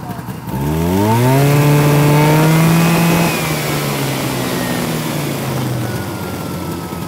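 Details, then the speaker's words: 1971 Arctic Cat Panther with 440 JLO two-stroke and Tillotson carburetor, after carb adjustment: revs up then sags and drones under load, a bog because tired clutch springs upshift too early for the low power. "so what's happening so the clutch springs are so tired on that sled that it just wants the upshift and it can't it doesn't have the power to get it going because they don't make a lot of horsepower"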